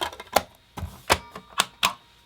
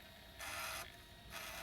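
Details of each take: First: PS1 console not reading discs: sharp, uneven clicks about twice a second with no disc spin or hum; laser suspected, fault traced to a broken connection. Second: PS1 after laser potentiometer lowered from about 616–626 to 496: two short whirring bursts of normal disc seek and read, no clicking anymore (clicking meant weak laser).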